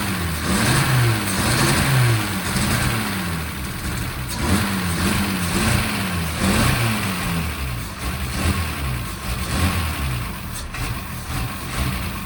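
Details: 1963 Mercedes W111 mechanical injection after injector ultrasonic cleaning and distribution block cleaning; engine idles and blips up and down cleanly, revs rising and falling evenly with no misses; normal running.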